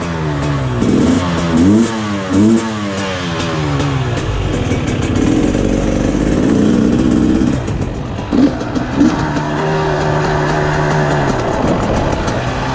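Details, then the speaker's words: 2020 KTM 300 XCW TPI, warm, after crankcase pressure sensor replacement and key-off reset: sharp revs climb and fall cleanly with each blip, no off-idle hesitation, strong steady pull under load; stumble fixed. "What a difference, holy crap, right away. Damn, this thing's a beast."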